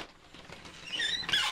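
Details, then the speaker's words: Accordion interior door in a bus camper conversion: high, wavering squeak as it slides along a dry rail; silicone to be applied to the rail to fix it. "bon bien sûr ça va disparaître je vais mettre du silicone dans le dans le rail"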